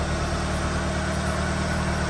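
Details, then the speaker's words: 1993 Asuna Sunfire with a warm-start flooding and hard-start problem, idling while warming up to operating temperature after coolant temperature sensor replacement: steady, even low rumble, no ticking or misses; smooth, nicely tuned idle. "don't hear any ticking or anything like that. It's smooth. Idle's nicely nicely tuned here."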